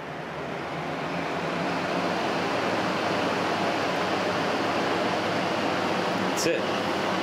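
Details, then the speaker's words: Restored 1956 Western Auto Wizard Rol Aire fan, model 6J3605-A, 2-speed, fully cleaned, on high: steady, smooth airy rush with no rattles, ticks or motor hum; quietest it has ever run, healthy. "This is the quietest this fan has ever ran. It's completely clean now."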